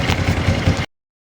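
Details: Motorcycle after one minute of warm-up charging the battery, now starting strongly on the electric starter: under a second of steady low engine thrum with an even beat before it cuts off; running normally.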